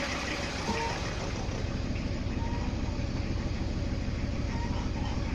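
An even diesel clatter at idle, firing at a regular steady rhythm with no extra knocks; the engine is idling cleanly.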